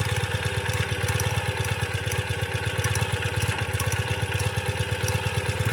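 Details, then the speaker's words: 2017 Ural cT boxer twin, first run after a Keihin Gen2 EFI upgrade, cold, with air probably still in the fuel line and injectors: low, slightly uneven beat near three pulses a second; rough running. "a little bit of a rough run but it's cold and like i said i'm sure it's got air in it"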